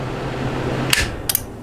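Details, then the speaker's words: SB220 amplifier under repair; quiet hum then a sharp relay click with a couple of ticks as the soft start disengages instantly, no audible time delay: soft-start relay closes with no delay. "that click that's the soft start disengaging to see why I think it's I've had a rectifier unit there's no time delay it's nothing it's instantly gone"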